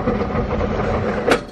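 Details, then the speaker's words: Race car pulling away in gear with the clutch out: steady drivetrain drone with one sharp, heavy clunk as it catches on a tooth. The owner suspects broken diff teeth. "There was a tooth. That was more than a tooth. I'm starting to think that it's like twisted the end of an axle off or something."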